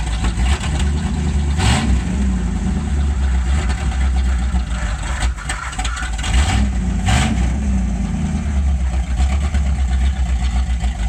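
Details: Original one-owner 1969 Ford Mustang Mach 1 with a leaking fuel tank, outdoors after coming off the trailer: big V8 fires and settles into a deep, steady idle with a couple of throttle blips; runs without misses.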